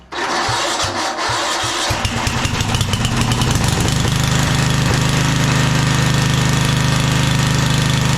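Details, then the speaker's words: 1997 Craftsman II rider, 13.5 hp Tecumseh, long-stored: slow cranking chuffs, catches, then rough uneven idle gradually steadying; flooded from too much gasoline poured down the carb intake; also surging, owner says carb needs cleaning. "bit flooded now I put too much gasoline in"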